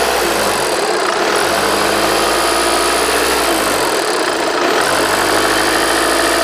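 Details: 60-plate Passat CC TDI 140 Bluemotion, 65k miles, idling: steady, fairly high-pitched rattle over the usual diesel clatter, even at idle; cause unknown, a similar higher-mileage DSG car had no rattle.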